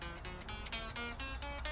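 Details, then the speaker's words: 2012 Fender 60s Road Worn Stratocaster during setup: low-neck plucked notes sound choked with a dull buzz on the low strings, fretting out after the truss rod was over-tightened; relief about 0.004. "I think we tightened a little too much. So I'm gonna take the neck off again and adjust it a little looser."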